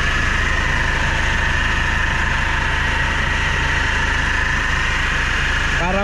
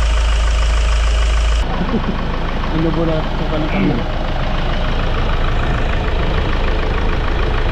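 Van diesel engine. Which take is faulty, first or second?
first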